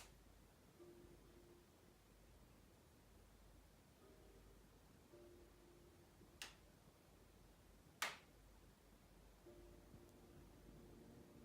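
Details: Sony BRAVIA XE80 (X800E) 55-inch 4K TV, bought new, popping since about a week old and worse after 4 months: a quiet room with two sharp isolated pops a couple of seconds apart. Intermittent popping noise.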